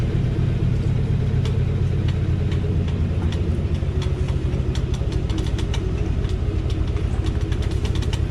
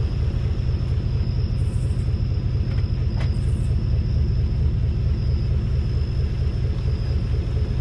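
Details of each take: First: 2018 Chevrolet Silverado with 3-inch leveling kit, driving slowly, GoPro mounted on front right fender; low engine drone with sharp irregular ticks about one or two per second from front right suspension; creak and tick, cause unconfirmed, owner fears leveling kit. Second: 2018 Chevrolet Silverado with 3-inch leveling kit, driving after front suspension inspection; only steady low road rumble, no creaking or ticking; front suspension now quiet, rear leaf springs still noisy.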